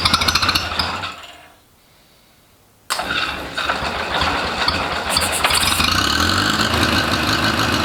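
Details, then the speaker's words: Rebuilt International Harvester Cub Lo-boy C60 engine, first start after oil pump priming, carb and timing not yet dialed in: winds down, quiet, then fires instantly into even steady idle with no misses; normal start and idle. "I was not expecting that to start that easily um that was that was the first start first turnover and it just lit right off"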